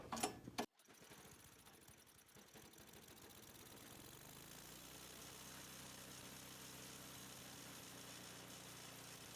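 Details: Old roadside-found snowblower, started with fuel on, choke on, throttle up after priming; after a rough catch settles within seconds into steady even drone, no misses; normal running.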